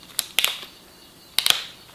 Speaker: to tighten just simply rotate that chuck sleeve clockwise until you hear this clicking sound